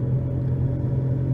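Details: 2011 Nissan Rogue FWD with new balanced tires, coasting near 30 mph before replacing both front hub bearings; steady low droning roar with no knocking and no pitch change, with significant vibration; worn front wheel bearing.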